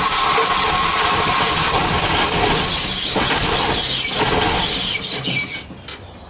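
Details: Volvo B230 redblock with hard starting, not misfiring much under load and leads replaced by a previous owner: lumpy, stumbling idle with an uneven beat and a squeal, faltering before dying and stinking rich; rough running traced to the fuel pressure regulator.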